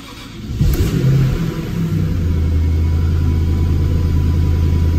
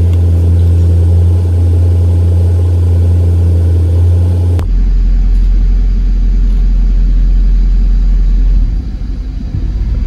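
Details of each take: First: 1997 Jaguar XK8 V8 (12,000 miles) after replacing a bad ignition module that caused misfire on 4 of 8 cylinders and erratic shifting: cranks, catches quickly and settles into a smooth, steady low rumble with no stumbling; normal start and idle. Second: 1997 Jaguar XK8 V8, 12,000 miles, runs smoothly then cycles to engine fault roughly every minute, turning into an uneven stumbling rumble; intermittent misfire on 4 of 8 cylinders with odd shifting, traced to a bad ignition module.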